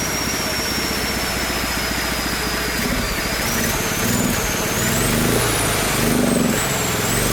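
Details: Small single-cylinder engine on a Mikuni carburetor (jetting from a 250 two-stroke) and a temporary 3D-printed PETG intake manifold: pops along evenly with crisp exhaust beats and picks up cleanly; runs well, with a slight low-end velocity issue from the large carb.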